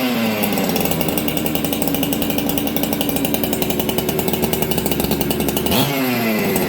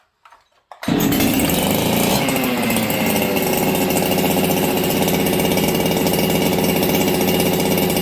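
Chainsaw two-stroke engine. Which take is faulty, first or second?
second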